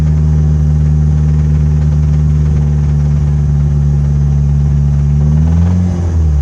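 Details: Mitsubishi Evo 8 engine: deep heavy rod knock rising as it revs; oil filter full of metal shavings, spun bearing on cylinder #3.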